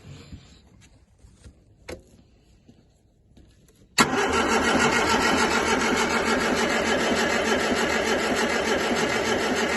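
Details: Series V Alpine, cranked after fixing a loose battery terminal, with a hose fitted to check whether the fuel pump picks up: starter spins steadily about three pulses a second for six seconds without firing; crank, no start.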